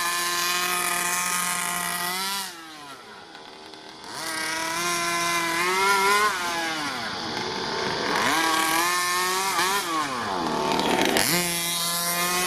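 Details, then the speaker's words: Rovan Q-Baja Shorty 29cc two-stroke 1/5 RC car on its first run-in tank, fuel mixed maybe around 26:1, stock tuning: sharp raspy buzz rising and falling cleanly with throttle; healthy engine, very loud. "so loud this [Music] thing goes on the wheel really easy too awesome"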